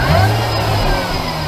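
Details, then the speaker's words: Mini Cooper S supercharged track car after pulley replacement and new intercooler, warming up to temperature; strong steady note, even revs, no knocks or belt squeal: normal running. "So we've got the mini back together. Looks alright actually. Just letting it run up to temp. Sounds good."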